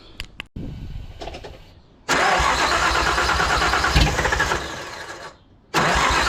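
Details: Nissan RB six-cylinder (RB20) after a no-compression fault was found and fixed: short crank, catches quickly and settles into an even, steady idle with no stumbles; healthy start on all six.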